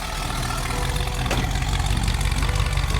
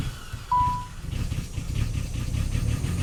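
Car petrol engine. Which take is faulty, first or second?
second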